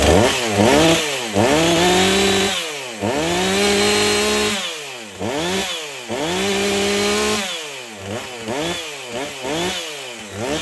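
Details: Husqvarna 450 two-stroke chainsaw after rebuild and swap from NGK to Hipa spark plug: crisp repeated throttle blips about two per second, clean pickup and settling back each time; healthy.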